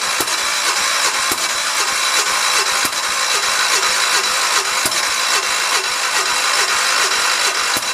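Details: 1973 112 tractor after new points, coil, condenser and earlier new carburetor; points just set per book, owner wondered if flooded; starter grinds with steady cranking strokes and sharp ticks but never catches; crank, no-start.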